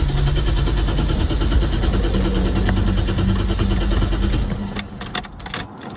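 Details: 1990 BMW E34 535i inline-six, unstarted for years, on a jump pack with a shorted battery, fuel pump heard ticking: starter churns evenly, about three beats a second, for four seconds and never catches; crank no start from no fuel delivery.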